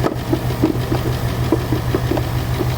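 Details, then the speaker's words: 2018 Ford Mustang GT Coyote V8 with a custom cold air intake, idling: crisp, even tapping about three per second returns when the intake manifold runner control is plugged back in; runner flaps clapping, not knock. "see i plugged that back in and here comes that clap again that tapping"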